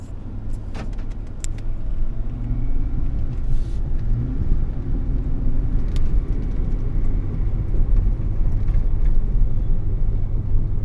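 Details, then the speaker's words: 2007 Ford F-150 V8, about 200,000 miles, test drive at 25–30 mph: steady low hum over road rumble, louder when loading into turns one way; suspected driver-side front wheel bearing. "you can hear the humming noise already a little bit when you go at about 25 30 let's go a little bit more"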